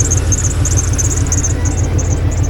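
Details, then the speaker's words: 1989 Ford F150 revived after sitting, idling: a low, steady idle with short high-pitched chirps that come and go every fraction of a second, identified as the drive belt squeaking. "Noise in the motor, I think. That little noise I hear there is the belt squeaking."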